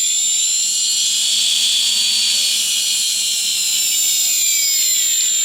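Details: Brushless quadcopter motor on an H-frame, driven through its ESC from the transmitter's throttle channel: a high, clean electric whine holds steady with slight pitch drift as the throttle rises; the motor spins smoothly, turning counterclockwise where clockwise is needed.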